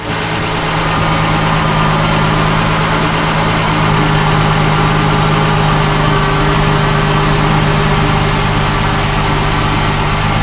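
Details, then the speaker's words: 2004 Ford Mustang just started for first time after fuel pump replacement, coolant checked full and oil level good; steady idle with even low drone and constant light whir, no knocks or stumbles: normal idle. "Yeah, buddy. It's alive. Yes, sir. It runs. Yeah."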